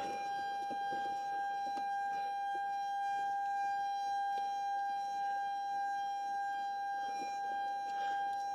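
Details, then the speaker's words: Airbus A320-family cockpit: steady, unwavering electrical buzz with a clear high tone, the normal hum of the transformer rectifiers (TR1 and TR2) running. "By the way, the buzzing noise which you can hear inside uh is coming from devices which are called transformer rectifiers."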